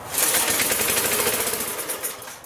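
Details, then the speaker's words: 1983-era Briggs & Stratton engine on a Magna air compressor that sat 5 years, first pull on carb cleaner: rapid popping catches about two seconds then fades; owner notes an air leak, cause unconfirmed. "first pole so it's trying"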